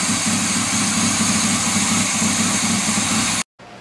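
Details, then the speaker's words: Old fire truck, 87 450, cold, with tubular exhaust: loud, raspy, steady V8 idle with rough throbbing burble; no oil pressure gauge fitted. "it's got tubular exhaust it's an 87 450 cold"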